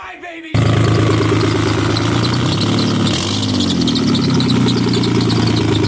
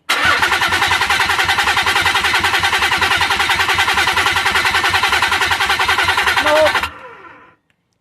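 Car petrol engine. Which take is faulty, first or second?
second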